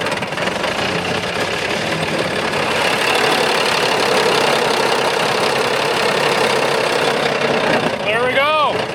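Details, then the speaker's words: Big Bud tractor diesel running after replacing the leaking injection pump with a junk spare pump. Loud and a bit uneven, not yet settled, as trapped air bleeds from the fuel system. "हैं कि यह अच्छा चल रहा है, अब इसमें सिस्टम में हवा है, इसलिए इसे साफ करने की कोशिश करने में थोड़ा सा समय लगेगा"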